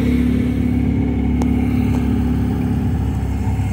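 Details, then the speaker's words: 1972 MGB, SU HIF44 carbs after adjusting air-fuel mixture screws, engine age unknown, driving under light throttle: even, steady drone with no misses or stumbles; normal running, off-idle hesitation resolved. "i think i did a pretty good job i mean i don't even know how old this motor is you know it's purring it is purring like a kitten"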